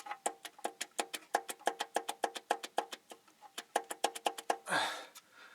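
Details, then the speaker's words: 2012 BMW 650, 4.4 L N63 twin-turbo V8, with engine silent: crisp metallic clacks about five a second as cylinder 7's connecting rod is moved; heat-discolored rod, visible bearing shell, rod knock from a loose rod bearing. "that rod is the one making our noise that is the rod knock that guy right there"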